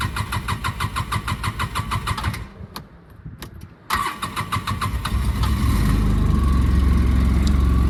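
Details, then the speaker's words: 2007 Polaris Ranger 700 6x6, sat 1.5–2 years, new battery: long crank without catching, second try fires and settles to idle near 1,400 rpm; hard start, check engine light on. "there we go a little bit of a long crank but uh the second try here it started"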